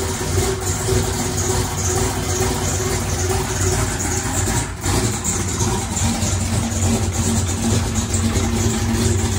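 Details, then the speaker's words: Chevrolet single-turbo race car started after installing electric primer pump; big engine lopes at low heavy idle, timing at 22 degrees instead of about 36 — low idle from retarded ignition timing. "it shouldn't have been idling at 22 it should have been idling at like 36 that's why I was idling so low"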